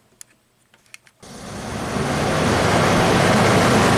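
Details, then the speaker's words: 1991 Audi Turbo wagon, engine cooled down and key off, 12 V fed through a test light to the thermo switch circuit to simulate after-run: faint clicks, then a steady rushing fan whoosh; the fan works on medium and high speed. "that thermos switch is closed so that works the fan works on medium and high speed that's good"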